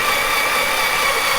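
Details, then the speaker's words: Vauxhall C20XE red top engine on a dyno with 45mm Dellortos, cranking slowly on a jump pack to prime oil: constant, steady starter whir without catching, normal healthy crank; about 10 rpm, oil pressure reaching 35 psi, small leak from a fitting. "Okay, we've got the jump pack on, so hopefully we'll get a few more laps out of it."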